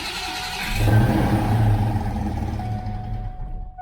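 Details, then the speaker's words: Fox-body Mustang starting: harsh grinding as the starter engages, plus a rotating tapping sound. Flywheel teeth are worn and damaged where the starter has been catching. "okay so we got two things going on here as you could tell it grinds whenever it starts up it's just real noisy also you heard like a like a rotating tapping sound"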